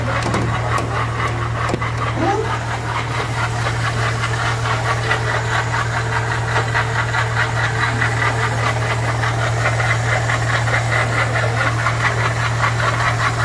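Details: Car engine with a steady hum and a faint, irregular rattling knock on top, attributed to a slack, breaking water pump that will fail. Advice: shut the engine off immediately and move the car only by tow truck. Failing water pump.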